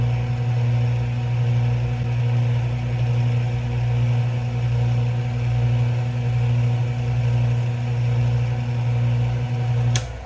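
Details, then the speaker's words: Atlas 618 lathe after headstock spindle bearing replacement with Timken tapered roller bearings, lead screw drive off; steady even low hum, no knocking or grinding; spindle running smooth. "So she's nice and smooth."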